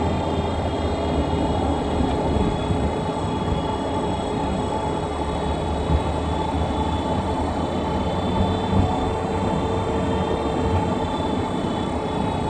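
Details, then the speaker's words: 2017 Nissan Rogue while driving: constant high-pitched whine over road rumble from the rear end, present all the time and fading as it slows; rear differential coupling suspected. "but you hear that sound sounds like that all the time just a high pitch whining noise never stops you know it just gets less as you're slowing down"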